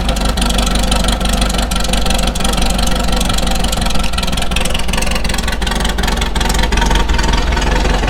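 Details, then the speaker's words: VW Beetle, cold-ish start after 2–3 days sitting, after the noisy old alternator and the fan were replaced and a serpentine belt system was installed. Even, steady idle with a smooth low rumble and no knocking; it runs and charges normally. "All systems are good. She runs, she charges."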